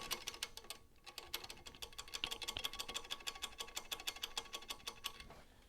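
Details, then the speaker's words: Engine ticking given as an example of a stuck lifter for a tapping engine that persisted after an oil change: fast, light, slightly uneven ticks about three per second over a faint engine; a stuck lifter is suspected. "you might have a stuck lifter if it sounds like that"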